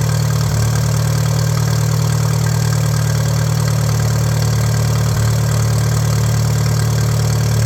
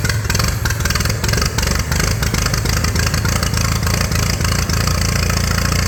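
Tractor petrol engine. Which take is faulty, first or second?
second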